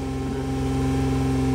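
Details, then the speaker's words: Toyota Camry 3.5, sat about a year with crank-no-start, after ECU replacement: steady even hum, idle noticeably high but smooth, no misfire or knock; high idle. "ayan mataas pa ang RPM niyan Ayan Pinatay ko lang"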